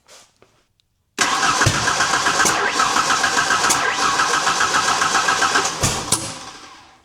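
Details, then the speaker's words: 1991 Ford Ranger 2.3, non-runner with coil packs, ICM, fuel pump and ECU replaced and a very faint spark at cylinder one: catches and runs roughly with sharp backfiring pops, then dies. "Okay, we got some backfiring now. We are hitting though."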